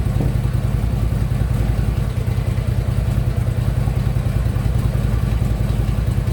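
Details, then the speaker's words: Harley-Davidson Ultra Limited V-twin at idle after new compensator fitted: light regular tapping knock under the firing beat from the lower end, not on compensator side; cause not found. "Something knocking a little bit, but it's not on this side."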